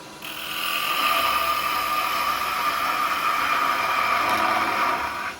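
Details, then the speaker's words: Record Power 1/4" spindle gouge cutting roughed wood on a lathe: steady high buzzing squeal rises as it meets the wood and holds through the cut; the gouge vibrates (chatter) with too much overhang past the tool rest. "now it's a little bit vibrating"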